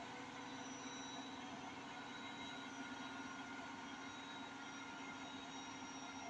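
Fast spin gives a steady low hum with a rough, roaring rumble underneath, the kind heard at top speed when something is wearing. Cause suspected, not confirmed.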